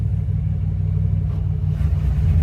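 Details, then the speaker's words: 1993 Sea Ray 330 Sundancer, starboard engine primed with a couple of pumps, on a dead cold start with the temp gauge not registering: it fires right up into a deep, even rumble and a steady low idle. A clean, healthy start. "it fired right up. Exactly the same thing. Quick look at the temp gauge. Where is it? There it is. Not even registering a dead cold start."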